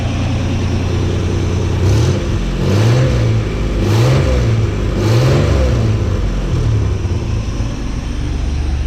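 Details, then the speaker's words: 1985 Chevy C10 V8 with a new custom exhaust and overdrive transmission, microphone at the tailpipe, gives a deep, steady rumble with four quick throttle blips and no puffing or ticking, a little loud; normal exhaust, no leaks. "you can kind of hear it back there but a little louder than I want it to be but it'll be okay"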